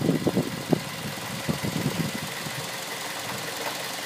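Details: 2006 Mazda 3 at idle: quick, uneven knocks in the first couple of seconds fading into a plain hum; engine knock at idle.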